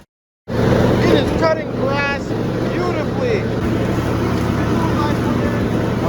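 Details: John Deere D170 lawn tractor, 25 hp V-twin with twin-barrel carburetor, after surging/sputtering repair (Torx bolts threadlocked, fuel line and fuel filter reinstalled): steady, even drone holding speed while mowing, no hunting or surging; normal running under load.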